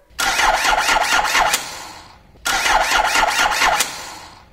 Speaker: this is a normal normally running starter motor good battery charge and normal cranking circuit